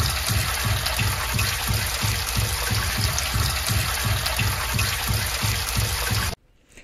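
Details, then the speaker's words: Sump pump under a house pumping rainwater: after the pump shuts off, the check valve hammers with rapid low thumps over rushing water. The thumping lasts 20–30 seconds, and the valve is to be replaced. "Entonces esta bomba saca el agua de lluvia eso que ves ahí es el agua que está cayendo y cada que prende y se apaga se oye un ruido a un ruido fuerte y no deja dormir a la gente"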